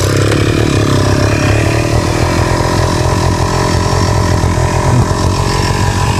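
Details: Two-stroke grass trimmer (brush cutter) on 25:1 or 50:1 gas-oil mix that wouldn't start, started without repair with the choke set midway; buzzes along steadily with a few light revs, firing cleanly with no misses; running normally.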